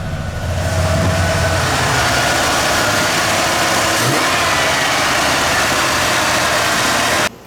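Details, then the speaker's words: Junkyard Ford bullnose truck V8 just converted from EFI to carburetor, temporary low-pressure fuel pump, not yet tuned so idle runs a little high; steady, even idle with no misses or knocks once choke is off; normal idle. "I just had it running and seemed to fire up pretty good it's still not tuned so it runs a little high"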